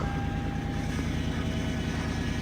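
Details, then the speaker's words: 1998 second-gen Lexus LS400, 250,000 on the clock, at start-up after a battery swap: steady engine drone with a thin constant whine from the power steering pump, low on fluid because the broken vacuum solenoid leaks it. "I'm gonna need something about that pump though. I don't know how easy that's to get to. Sean will know. I never checked the fluid. I don't know if it's just low or if it's..."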